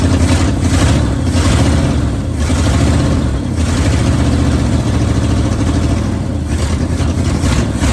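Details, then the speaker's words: 1971 Ford bumpside wrecker truck V8 after a fuel pump change: uneven low rumble with stumbles and dropouts at idle and light revs; missing on a cylinder, not the day before, cause not yet confirmed. "while we're missing now we weren't missing yesterday"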